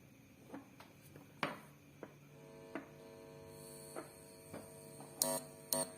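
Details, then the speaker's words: Two-stage parallel PAM8403 mini amplifier kit powered by phone charger adapter, RCA input touched: steady low hum with buzzy edge from speaker among a few clicks, meaning the amplifier works normally. "Jika terdengar suara dengung, itu berarti perangkat penguat ini dapat berfungsi."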